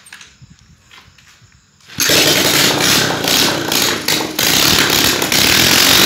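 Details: Moto Techno 200cc motorcycle, first start after its wiring burned: quiet cranking, the single catches at about two seconds and holds a loud, buzzy, even idle; starts and runs fine.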